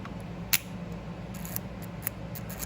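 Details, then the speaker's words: Honda Shadow bobber with newly installed cheap starter solenoid, key in run, pressing start after a miswired connector smoked: a few sharp isolated clicks, no cranking; electrical fault, cause unknown. "So yeah, right now it's in the run position and hitting start to start the starter."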